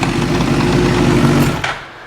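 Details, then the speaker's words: 2005 Suzuki GSXR 1000 after reinstalling an incorrectly installed Brock's Performance clutch mod: rough uneven popping and slapping knock from the gearbox in neutral, unchanged with clutch pulled in or out. "You hear that popping and slapping? Doesn't make a difference, pull the clutch in or out."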